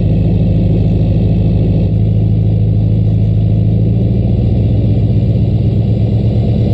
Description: Truck started right up after a night at -12 as the low and -11 when i went to start it. 9000ft altitude make the turbo whistle just a bit more:)